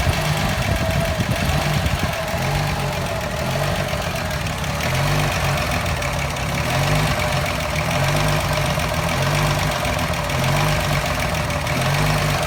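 Low engine idle with an uneven, lumpy beat and periodic dips in the rumble about every second or so; the idle is running rough.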